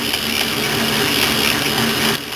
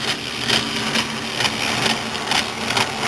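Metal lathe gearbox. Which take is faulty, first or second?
second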